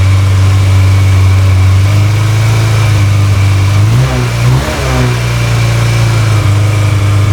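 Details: Yamaha XJ600 running on auxiliary fuel bottle after new battery, choke pulled fully out: steady low engine note catching, brief dip and recovery, then settling into a smooth idle.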